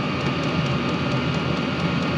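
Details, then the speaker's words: Newly installed diesel heater in a cargo trailer camper conversion, first test run: steady, even rush of fan and burner with a faint constant whistle as it ramps up, warm air but no knocks or surging; normal running. "oh oh I just heard a kick on can hear it okay let's see how warm this thing gets it's not terribly warm down there I can touch it"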